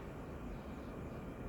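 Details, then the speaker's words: EMI mini split heat pump indoor unit, about two years old, on plain fan mode at high speed on a 55°F day; steady, even rush of air with a low hum, no ticks or rubbing, blowing hard, normal. "we're just on playing fan and it's blowing really hard and you can see the bar that says the fans blown"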